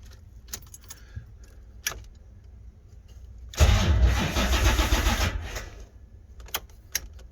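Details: 1980 Corvette C3, first start attempt in 2 years: brief two-second crank with no catch and no fuel pump hum beforehand; engine cranks but won't start, fuel pumps not running suspected.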